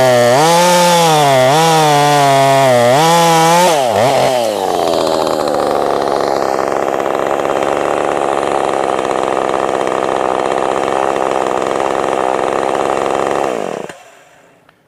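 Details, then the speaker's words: Husqvarna 450 Rancher chainsaw, ported, built on a donor short block and cylinder with an aftermarket kit's seals and bearings; bogs cutting hard white oak, then suddenly settles into a steady, consistently high idle that never drops. Cause unknown. "I don't like that I don't like how it's idling high all of a sudden but it's consistent idling high"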